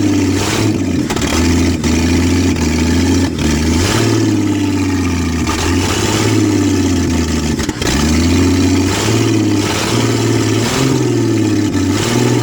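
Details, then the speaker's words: 1966 Ford Mustang, newly acquired and reassembled, first start: ragged, surging, hunting revs with sharp pops and a fireball, struggling to stay lit; owner questions fuel reaching the filter, likely short on fuel; backfire on first start. "Woo! She wants to live. And that fireball came after me there for a minute."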